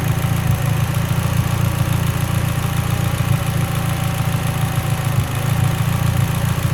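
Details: Mitsubishi Evo X, lean idle: deep steady idle with uneven lumpy beat and a stumble around five seconds; rough idle misfire, cause suspected lean, not confirmed.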